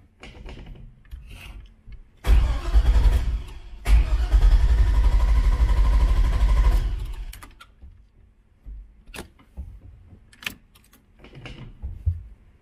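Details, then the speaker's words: Elco after a head replacement: no fuel pump priming hum is heard at key-on, and the starter cranks in bursts without the engine catching. Fuel pump suspected; crank, no start. "that's weird don't hear the fuel pump you yeah i'm not getting the fuel pump so check that and see what's going on"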